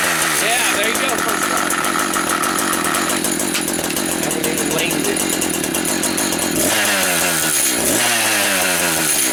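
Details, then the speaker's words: Used Echo 590 two-stroke chainsaw run with no bar and chain fitted: idles with a light metallic jingle under quick blips, the bare clutch rattling freely, not the recoil; normal clutch rattle. "Ithink it is the clutch it needs the bar and chain on it."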